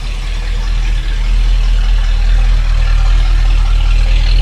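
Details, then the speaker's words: 1965 Ford Mustang 289 V8 (messed-up Mustang) idling at the tailpipe after 15 minutes of Edelbrock carburetor adjustment; previously shook, running on few cylinders. Now deep, steady burble with even pulses, no misses: normal healthy idle. "now it actually sounds like a little 289 shirt so yeah it it sounded for all money like it was really not well at all"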